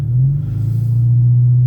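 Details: 2002 VW Cabrio GLX, front-wheel drive, pulling away near 2,000 rpm: loud booming low drone, heavier than stock, from a known exhaust leak in the middle of the exhaust.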